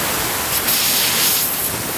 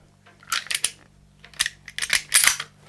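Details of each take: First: Stripped-down Umarex Legends Cowboy Rifle (Winchester Model 1894 replica) with a CO2 cylinder fitted: a steady, airy, rhythmless hiss of gas escaping around the actuating valve; owner suspects the valve's black O-ring is leaking. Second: Umarex Legends Cowboy Rifle (Winchester 1894 replica) after valve repair, reassembled without barrel or magazine tube: a few crisp metallic clacks as the action is worked, no hiss of escaping gas; the mechanism cycles cleanly and the leak is fixed.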